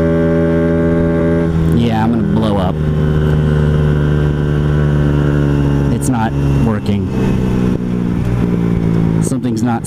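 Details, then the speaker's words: Honda Ruckus after valve adjustment and CVT work, wider Gates belt fitted, riding: engine screams to high revs and hangs without drive pulling; variator slider guides installed reversed, sliders not moving. "something's not moving correctly oh this stinks good thing that didn't happen before I had to ride to work"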